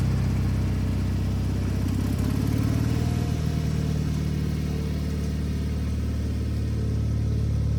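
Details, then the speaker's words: Wheel Horse 520H hydrostatic tractor on its own gas tank after back-purging it, started by jumping the solenoid with a weak battery; steady low single-cylinder drone that picks up slightly and holds even, no misses or knocks; runs great, normal running. "well that's weird all right test drive successful I mean it runs great the hydrostatic rear end's working perfect"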